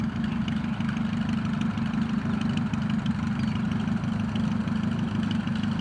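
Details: Rebuilt Piet aircraft piston engine, test flight day: even, steady low drumming at about three beats a second with no misses or knocks; healthy normal idle.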